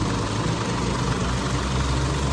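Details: 2005 Isuzu D-Max diesel, previously a no-start, now with a strong new battery fitted: steady, even diesel idle with a smooth low beat and no misses or knocks.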